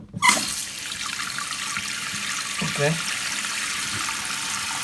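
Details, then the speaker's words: Toilet after its noisy fill valve was replaced: a strong, even hiss of water rushing into the tank at full flow, with no chatter or whistle. The new fill valve refills the bowl quickly and properly. "how much pressures coming out of here coming out a lot fast enough so it's gonna pull up the bowl a lot faster okay the bowl is filled"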